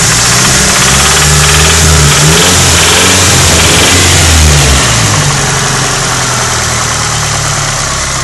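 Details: Nissan 180SX SR20DET redtop, revving: steady metallic rattle-knock only between 2,000 and 2,500 rpm, seeming to come from the head. It proved to be worn big-end (connecting rod) bearings.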